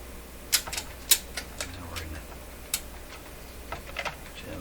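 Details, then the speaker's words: Telefunken Salzburg 5094W console record changer with faulty automatic functions: irregular sharp clicks and ticks, one to two a second, as the changer cycles; uneven skipping in the mechanism, cause unknown. "i don't like that sound sounds like a deer skipping eh what has happened now"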